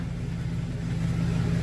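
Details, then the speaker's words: 2000 GMC Sierra 2500HD two-wheel drive, rear wheels spinning in drive on stands after brake line rebuild and differential fluid change: low even drone, no whine, grinding or clunks; axle and differential sound healthy. "So far, it runs pretty good. Runs pretty smooth, so you cannot hear any noise. Pretty smooth, guys."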